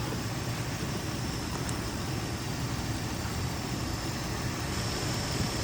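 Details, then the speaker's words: 2003 Infiniti G35 after coolant crossover pipe and spark plug replacement, running about 20 minutes: steady idle with a faint constant airy hiss near the PCV valve; vacuum leak, gone after tightening the PCV valve, likely its O-ring. "Got what sounds like a vacuum leak right around this"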